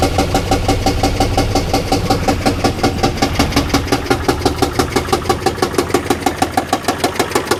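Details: Car for a single mom, oil three quarts low and topped up, brake lights stuck on from a short: rough idle with beats stumbling and bunching like a cylinder dropping out, a suspected misfire; later a blown head gasket is suspected from the coolant smell.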